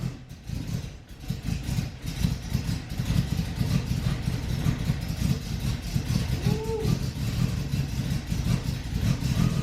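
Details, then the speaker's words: BMW E30 six, first start after reassembling the drivetrain and wiring and priming the engine twice: rough, lumpy running that settles into a steady beat; it smokes because of oil in the exhaust. "Yes, sir. Let's go. It's smoky. Yeah, well, we got oil in the exhaust, so makes sense. Attaboy. Well, it starts."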